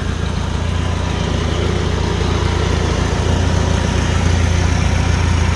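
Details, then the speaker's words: 1954 Farmall Super C tractor, newly bought, carburettor said to drip and need a kit: deep even thump at steady idle around three and a half beats a second, no knocks or misses; running sweetly. "that sounds really good man I'm happy"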